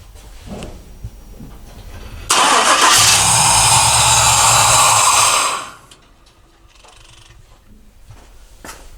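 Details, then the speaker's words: 1968 Chevrolet C10 with LS engine, probably over 200,000 miles: quiet cranking, then a loud rough catch runs about three seconds and dies; starts only on starting fluid despite fuel pressure, insufficient fuel volume or pump suspected. "so I have fuel pressure there's this issue with the volume or something it's not it's not good enough so so if I give a little spray it starts everything's working again"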